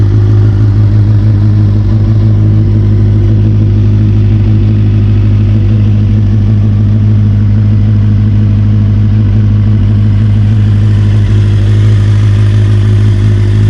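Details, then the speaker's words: 1992 Kawasaki ZXR400 L2 four-cylinder, sat for years, after new carb mixture screws and O-rings: crisp, even low-pitched idle, steady beat, no hunting, popping or misfire; runs perfectly. "I can't believe it it runs perfectly"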